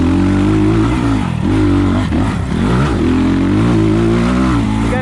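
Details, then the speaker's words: 2020 SSR Motorsports SR300 single-cylinder dirt bike with Lectron carburetor, on trail under load: pulls up and down cleanly through revs, crisp throttle, no stumble; normal running. "probably hear it yep this electron carb kills it on this bike"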